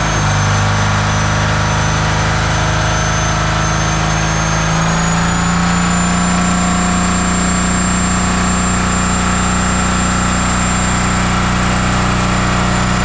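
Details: 1977 Peterbilt 359 diesel that sat 20 years, first start after the injection lines were tightened: engine roars at high revs, then climbs even higher around five seconds and stays out of control. Diesel runaway overspeed.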